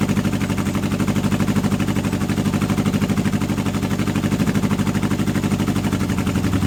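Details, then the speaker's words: Old Honda CB750 K four-cylinder project bike, first start in years on unleaded petrol with choke on; lumpy, uneven idle beat with gaps in the firing. Appears to run on only two cylinders on one side; owner had expected a coil fault, cause unconfirmed. "It seems to only be running on the 2 cylinders on this side, which is surprising because if 2 cylinders weren't running I'd have thought it'd be the coil."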